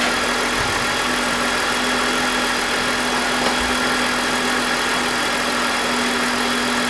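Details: BMW E46 with M52TUB25 engine at idle, VANOS unplugged: even steady hum, constant revs, grinding gone, no RPM drop. Owner suspects the VANOS causes a grinding noise, worse at startup, heard when connected. Normal idle.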